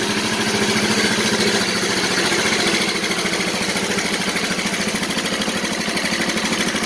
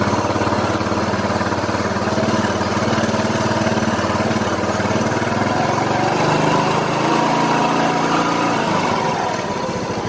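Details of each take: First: Yamaha Mio Soul scooter, engine reported very noisy: loud, rattly, clattery idle with an uneven pulse of about three and a half beats a second; worn valve train and piston. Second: Yamaha Mio Soul after engine rebuild and reassembly, cranked first to circulate oil, then started; steady, even single-cylinder idle with a slight pitch shift near the end and no knocks or ticks. Sounds healthy.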